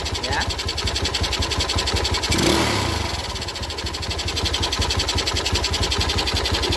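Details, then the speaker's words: Yamaha Jupiter Z with manual clutch after replacing clutch rubbers: even steady idle with no clatter from the clutch side; the earlier knocking clutch noise is gone. "oke ya teman-teman suaranya sudah hilang glodok-glodoknya karena motor ini menggunakan kopling manual ya tidak bisa suaranya itu halus"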